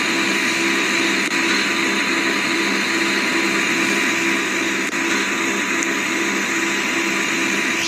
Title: air conditioner noisy